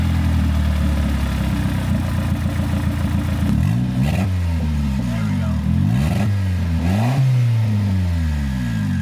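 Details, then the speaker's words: Abandoned turbo Honda Civic after replacing a leaking turbo air valve: steady even idle and clean throttle blips, pitch rising and falling smoothly, no misfire or stumble; AFR about 12.8; normal running. "One little thing, but now it's running."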